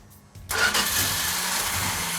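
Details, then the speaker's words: 1969 Plymouth GTX, first cold start attempt; the starter spins the engine at a steady crank with no firing because there is no fuel in it yet, cranking to let fuel build. "hey mark it's not firing well there's no fuel in it it's i was just going to crank it and let it build"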